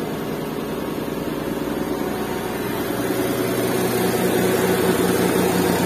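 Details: Restored Suzuki Mehran with a WagonR K6A 660cc engine and 3-speed automatic, vibration test with a glass of water on it; smooth steady idle hum with even gentle pulse, no shake or knock, healthy.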